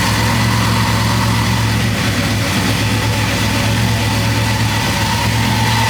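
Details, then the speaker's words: Chevy C10 V8 after the vacuum leak was fixed and the brake booster and a sensor reconnected: a steady, even idle with a deep regular burble and no hunting or surging; normal, healthy idle after repair. "It looked like she's idling steady. It would have started acting up by now. I'm hoping that this was it."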